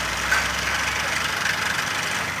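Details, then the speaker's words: 1994 Ford Escort 1.6 at idle: fast busy clatter from the gearbox end, owner's complaint of gearbox rattling; fits a disintegrating clutch release bearing; an active oil leak was also found underneath. "şanzımandan takır takır ses geliyor genel kontrol olarak ağızlarını belirtmiş aracımızı çalıştırdığımızda ise bu şekilde ses geliyor"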